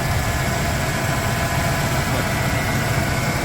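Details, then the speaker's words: 1995 Ford F150 V8, hot at idle after an oil change and test drive; the power steering fluid is a little low from a known leak. A faint constant whine over the low rumble, suspected to be power steering pump whine. "I hear some power steering wine. I know it's a little low. It's got a little bit of a leak here."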